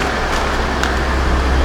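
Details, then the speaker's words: 2016 Ford F-150 3.5 V6 after fitting the correct starter, restarted several times: only a faint, smooth low hum under outdoor noise; very quiet, even idle, normal. "But as you see, it's sitting here running. I done cut it off a couple times, let it sit."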